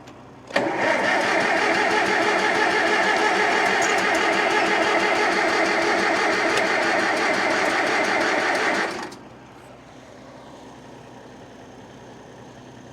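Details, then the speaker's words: 1947 Farmall M tractor, first start since October after sitting all winter, throttle worked before starting, carburetor dripping: catches and runs rough for about eight seconds with uneven chugging, then dies; flooded engine, owner hopes float isn't sticking. "well it started but probably flooded it already oh yeah she's dripping"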